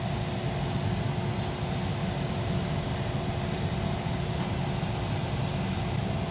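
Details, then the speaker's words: 2011 Jeep Liberty 3.7L (description says 2003) with no-air-from-vents complaint; blower on high drawing about 14 amps, not judged high; even steady rush of air with faint motor hum, no squeal, rattle or ticking, normal blower operation at full speed. "looking about 14 amps on that blower motor circuit that doesn't look like higher amperage to me on a high speed"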